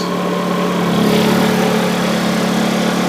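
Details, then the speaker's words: Honda EU2000i generator on propane conversion, 1,000 W load applied: even, steady drone holding pitch with slight rise in effort, no hunting or misses; normal running under load. "Okay, now here's 1,000. You can definitely hear the generator working."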